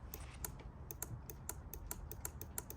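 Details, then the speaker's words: Opel Corsa D petrol, horn pressed with ignition off: the lower horn relay in the under-hood fuse box clicks sharply three or four times a second but the horn stays silent; mechanic suspects a broken wire or dead horn. "релюшка клацея чуєте да відповідно далі треба дивитись лізти до самого до самої дудки Я думаю що там десь або обрив Або вона здохла"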